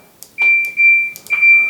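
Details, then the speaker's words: Normal control panel beeps on a Kenmore Elite washer after replacing the lid reed switch to fix a lid error. Three quick, clean, high-pitched beeps as the knob turns, each steady and even, with the LEDs advancing normally. "Now the other thing is, when you press the buttons, watch what happens. You see how the LEDs are marching along? So this is the normal behavior."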